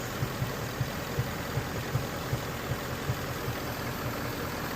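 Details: 2017 Ford Mustang GT 5.0 Coyote V8 idling, codes P0302/P0316, cylinder 2 misfire; coils, spark plugs, direct and port injectors already replaced, cause unfound; even idle broken by a dull thump about every 0.4 seconds, roughly 160 a minute.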